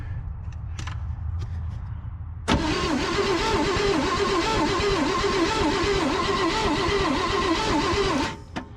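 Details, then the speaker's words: Abandoned 1963 Loadstar truck, jumped straight to the coil with key on: starter spins the engine at a steady, even chug for about six seconds without catching; no spark because the points gap is barely opening. "no spark gap ain't opening very much"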